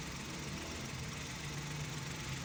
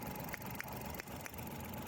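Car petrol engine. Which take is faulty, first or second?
second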